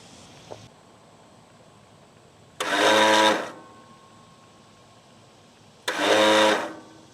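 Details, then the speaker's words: Craftsman L9 riding mower starter with the battery temporarily rigged: two short whirring free spins with no crank, as the starter turns but its drive doesn't engage the flywheel; the starter was then replaced. "The starter is turning, but for some reason or other, it's not engaging. I can feel vibration in it. So the current is getting there okay."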